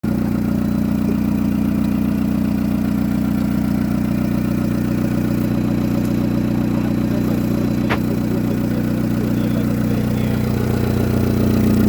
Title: Exhaust leak sound